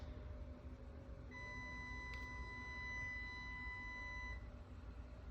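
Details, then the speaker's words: 2012 Lexus RX 350, bought at 127K miles: pressing the power liftgate button gives one long steady beep of about three seconds instead of the motor running, same on closing; power liftgate motor failed, and earlier strut replacement didn't fix it. "If you're getting the same error, highly likely that your power liftgate is broken."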